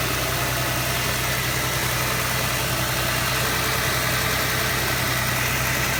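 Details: 2006 Jaguar X-Type 3.0 V6 with an engine ticking/knocking noise under acceleration: a faint, loosely regular light tapping rides over the steady V6 note, with no clear cause.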